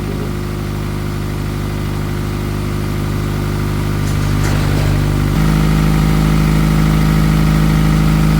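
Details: Honda Accord at first startup after repairing a blown head gasket and burnt valves, exhaust not yet fixed so it runs loud. Steady, even idle with a smooth low rumble and no knocks or misses; running cleanly.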